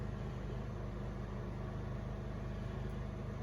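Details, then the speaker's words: Honda EU2000i inverter generator carrying a 1500 W heater after correcting swapped carburetor gaskets; steady, even low drone with no surging or stumbling, running smoothly for about 10 minutes, LED not fading. Previously stumbled and cut out under load. "got the heater going generator even seems to be running way nicer for sure not choking itself out it's even going about 10 minutes now"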